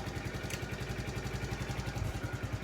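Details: 2012 or 2013 TaoTao 50cc scooter: small single-cylinder putters at quick even idle with steady low pulses, no misses or rattles; healthy idle.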